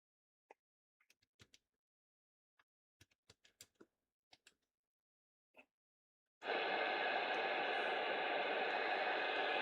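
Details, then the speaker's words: Sony ICF-7600D radio after reflowing solder joints on a board that showed a scrape, repairing intermittent operation. Handling clicks, then a steady even hiss of tuning static; radio now working. "That might explain the intermittent operation. Yeah, it's working now."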